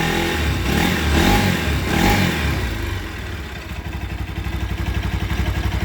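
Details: Bajaj Rouser 200 NS single-cylinder engine revving and settling to idle with a fast, uneven clatter over the firing beat; source of the engine noise unclear.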